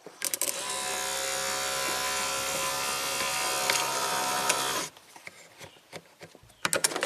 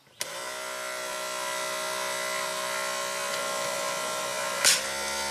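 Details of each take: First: Pull-down motor on a 1993 Cadillac Allante Northstar V8's convertible top, bench-tested with a refurbished switch assembly: the motor whines steadily and keeps drawing current because the latch never trips the paddle cut-off switch, which needs adjusting. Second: 1993 Cadillac Allante Northstar V8 convertible top pull-down motor with the original switch reinstalled and the latch grounded: clicks on, whirs at an even pitch for four seconds, then cuts off cleanly. Working normally.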